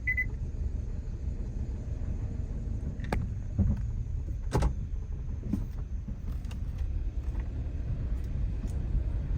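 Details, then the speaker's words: Hyundai Veloster after new ignition coils were fitted, one coil bolt stripped and loose: the engine idles with a deep, uneven rumble and thumps and the check engine light flashes; misfire persists. "see if we got rid of our misfire oh it still doesn't sound great and we've got a flashing check engine light see how it drives"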